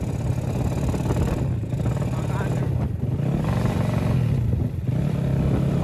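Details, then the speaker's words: Honda Supra motorcycle with Daytona engine, first test ride: engine pulls with uneven, choppy firing and brief dips as throttle opens; carburettor not yet tuned, sputters and stumbles under throttle. "Karbunya belum stabil, jadinya gitu tuh, nggak berebet."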